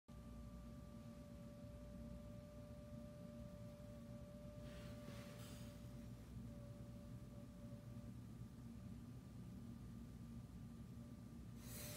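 A steady thin whistle, one pure note with a fainter higher overtone, holding unchanged throughout; air whistling through a leaking window seal.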